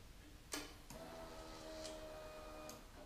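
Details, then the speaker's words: Victory Vegas Jackpot motorcycle with a newly installed replacement fuel pump, chilly day: a sharp click, then a faint steady electric hum for about two seconds before stopping; normal fuel pump prime. "Gas fuel pump sounds good. I'm gonna let it prime once. Click is what you need."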